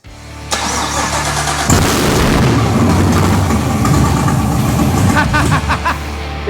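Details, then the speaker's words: BMW 635CSi E24 with a 6.2L Gen V LT1 swap just after first start, no exhaust fitted: it cranks, catches, then runs a loud, lumpy, stumbling idle. Struggling to idle; owner suspects an intake air leak, not confirmed, tune still to come. "struggling to idle but it's doing it"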